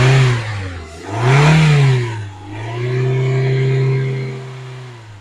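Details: Daihatsu Terios after DIY valve cover gasket replacement, just started: engine revs up smoothly three times and settles back each time, clean and even with no knocks or rattles. Healthy.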